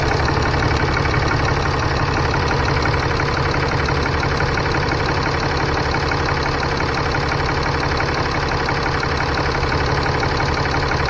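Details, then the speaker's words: 2015 Ram 3500 6.7L diesel idling after turbo wastegate actuator replacement, coolant at 131, gassed a little. Steady, even light clatter, no surging or hunting. Normal idle. "We're gonna gas it a little bit. Yep, nothing acting a fool."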